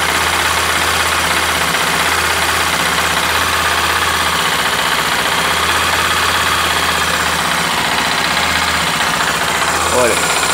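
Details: Honda XRE 300, 2018, 7,229 km, single cylinder: steady idle with light dull tapping under it, owner says like a rod knock but much quieter; engine knocking at idle, source not pinned down.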